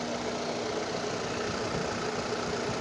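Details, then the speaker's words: Fiat Strada 1.4 Fire warm idle, with scope hooked to the crank position sensor and ignition coil; valve clearance and compression are correct. Even, smooth mid-pitched hum, no stumbles; runs perfectly, the only fault being slow restarting after standing a while. Normal. "El motor funciona perfecto, no falla, no tironea, no hace absolutamente nada."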